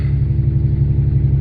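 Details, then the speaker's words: 1989 Chevy Cavalier after new fuel pump install: smooth even low rumble with a steady pulse, no misses or knocks; engine running cleanly. "and there she is she's alive yeah"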